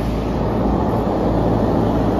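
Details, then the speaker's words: 15-ton Trane rooftop unit after circuit 2 leak repair, both circuits running: even deep rumble and airy hum, no knocks, rattles or squeal; steady and healthy. "uh this is circuit two by the way both circuits are running"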